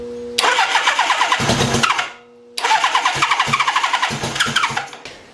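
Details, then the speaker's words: Suzuki GS1000 engine after carburetor rebuild, start attempt: starter cranks, engine catches in ragged popping bursts, stumbles and dies twice; sputters, plugs to be checked for wetness; engine smokes too much. "and sputters I'm gonna check the spark plug see if any of them are too wet to dry"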